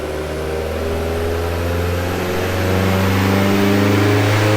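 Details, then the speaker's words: Mk2 GTI, AWC 1.8T 20v with T70 .63 turbo, first dyno pull on the old map, pump fuel under 5% ethanol: engine note climbs smoothly with no knocks, misses or rattles; healthy turbo four under load. "So that was the first dyno pull. That was with the old map."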